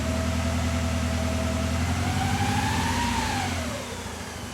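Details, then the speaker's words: Toyota AE86 at idle with no fault codes, injectors and coils reading active and the fuel pump good: uneven, lumpy motorcycle-like beat with a faint whine. Sounds like a misfire; owner wonders if sitting unused for a while is the cause. "yeah guys if you can hear the sound sounds a little bit like misfiring right"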